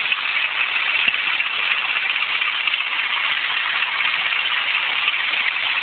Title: grinding noise from my engine